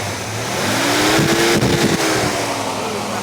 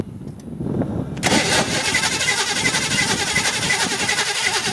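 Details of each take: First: 1986 Ford Mustang GT 5.0 V8 convertible with a rotting body, just started: it revs up and settles back smoothly with a clean, even exhaust note, no knocks or misfires; the engine sounds healthy. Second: 1986 Ford Mustang GT 5.0 convertible, cranking steadily about four turns a second for five seconds without firing; crank no start, owner suspects a bad fuel pump (new pump sitting in trunk), unconfirmed.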